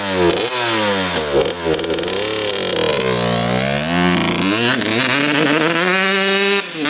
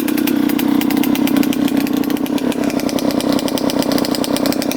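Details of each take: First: 2003 Suzuki RM125 two-stroke after changing main jet from 145 to 155 to cure a bog: crisp revs climb and drop cleanly through several blips, no hesitation or pinging on deceleration; normal revving. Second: 2003 Suzuki RM125 two-stroke before repair: a raspy, rough, uneven beat that stumbles and bogs, with blue smoke. The owner suspects it is running rich; the bog is from a carburetor with a clogged pilot jet.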